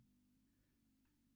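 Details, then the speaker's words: Consul CRM33D refrigerator control board tested with a lamp in place of the compressor: after a timed pause, one crisp relay click as the board switches to compressor power; normal relay operation. "Primeiro estalo tem um espaço de tempo, ele desativa esse relê e agora vai acionar o relê da alimentação para o compressor."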